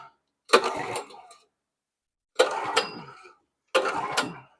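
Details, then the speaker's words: Simpson pressure washer with a Honda GX270 engine, carburetor replaced because the old one poured fuel, oil black: three pull-cord cranks, each a short whir fading out with no firing; turns over but won't start, spark about to be checked. "We knew the carburetor was leaking, so we put a new carburetor on there just to eliminate that. But it's still not wanting to run."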